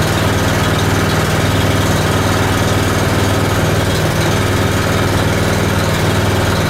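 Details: Honda small engine unused since last spring, 6.1 hours on the meter, started cold on choke on a cold morning: a steady, even low putter at a constant speed with no misses or knocks, idling smoothly and healthy.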